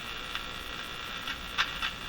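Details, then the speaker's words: Crosley Moffat G-165 five-tube radio during paper/wax capacitor replacement: a steady high-pitched hum with scattered crackles and no station. The noise changes as the radio is moved, so it is suspected to be outside interference, not the radio itself. "So moving the radio around, that noise you hear changed a bit, so I don't think it's coming inherent from the radio. It's coming from somewhere out there in the ether. So these are common sounds I hear on these radios in my shop."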